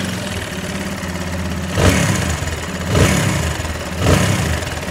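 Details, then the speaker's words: TVS Apache 180 BS6 motorcycle, 22,000 km, previously serviced at the dealer: low, uneven rumbling at idle swelling with blips; worn valve guides in very bad condition cause the top-end noise. "आप एक लगी गड़गड़ाहट का sound आ रहा है जो गड़गड़ाहट का साउंड है ये किसी भी गाड़ी में नहीं आता है"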